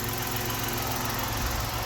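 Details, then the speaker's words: 1990 Dodge Grand Caravan LE under restoration: soft, even low idle with no rasp or exhaust blat, a steady quiet hum; normal, healthy idle. "oh my gosh that's so nice look at that sounds like the rest of my Vance now I can actually listen to the motor and it sounds great"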